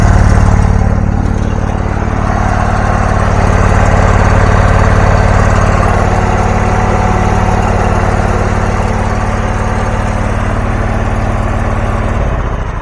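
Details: Abandoned John Deere garden tractor with Briggs Intech 20 hp engine, previously burning oil with a dead cylinder, now started: steady even low idle about three beats a second, no misses or knocks, then clean shutdown; normal running.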